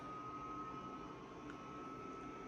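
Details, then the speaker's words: Dyson HP09 Purifier Hot+Cool fan: quiet airflow hiss with a thin steady high-pitched whine on top at setting 5, much louder than a second unit; motor whine needing repair. "can hear it's so much louder and a quite annoying pitch as well."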